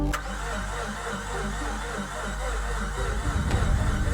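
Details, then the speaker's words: Mazda RX-8 rotary, first start after engine rebuild, oil pump primed, in neutral: starter turns over slowly and laboriously for several seconds without catching; slow crank, no start, suspected weak battery (one coil also found disconnected). "that sounds like the battery is going out okay so I've just put the battery of the FC into the RX8 and I'm really hoping that this will solve the issue"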